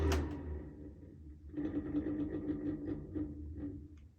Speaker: that sounds pretty bad right there it's not a good spin down you can tell the bearings are dry you just haven't started screwing yet because you can tell it's struggling to spin